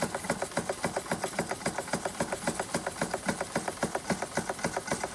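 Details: Antique Bing 130/382 poppet-valve steam engine on original burners, about 15-16 psi: crisp, even chuffs about four a second with light mechanical clatter, steady and unhurried; normal running.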